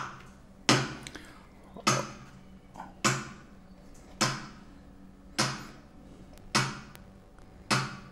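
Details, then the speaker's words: Two TDA7293 chips bridged on a former TDA7294 amplifier board, running hot: sharp clicks about once a second in a quiet room as the supply trips its protection. Owner suspects a broken chip, possibly fake parts, a bad schematic or no bridge-mode support. "oh oh yes this is a very clear situation of one of the ics get or got broke"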